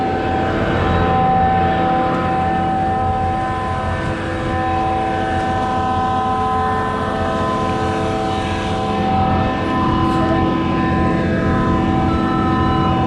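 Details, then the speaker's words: Concord 40-meter Z-boom concrete pump plugged on prime-out: heavy, steady engine drone under load as the pump is reversed repeatedly to pull back concrete in the line. "yeah you can hear it at the top there's some mud right there reverse it a couple times"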